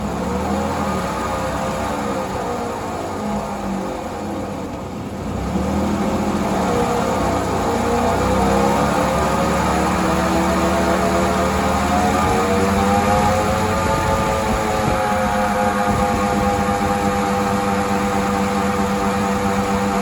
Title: Bad wheel bearing